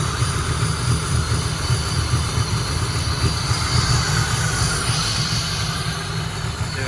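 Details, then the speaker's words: LT1 V8 with a big camshaft, speed density tune without mass airflow sensor, retune in progress: deep, uneven, loping idle with a choppy beat, struggling to hold low rpm; lumpy idle from the large camshaft. "I got the idle going a little better I can't let it go too low it's hard to run a big cam at a low idle"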